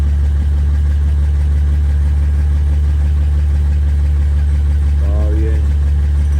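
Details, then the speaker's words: 2009 Honda Odyssey after oil leak repair and new spark plugs (plugs had been oil-soaked) fixing a severe misfire: loud, deep idle through a leaking exhaust but steady beat with no stumble or miss. "ya solucioné el lick no tiene fallo no tiene este no tiene má mis fire no tiene liqueo"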